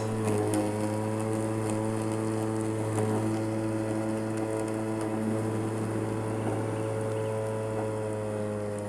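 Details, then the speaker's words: Makita 36 V (2×18 V) cordless lawn mower leaving thick tall grass where it lugged down; steady motor hum and blade whir easing slightly lower in pitch off load; normal automatic motor speed reduction. "y'all see it owls itself back down"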